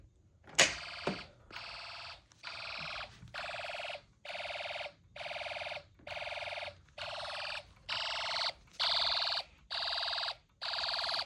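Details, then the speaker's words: Snap Circuits hobby fire alarm, run on two battery packs, pull station pulled in the dark: a sharp click, then about ten long even horn blasts about one per second; alarm sounding normally. "It is really dark at night. Let's see what happens if I pull a pole station."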